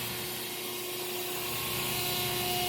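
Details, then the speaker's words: 63-ton CNC press brake, hydraulic pump started by holding a momentary button: steady even hum with constant whine and airy hiss as the cylinders fill and build pressure, no knocking or cavitation rattle. Normal pump start-up. "So you just press and hold that, and it should fire up the pump. And I can hear it filling the cylinders"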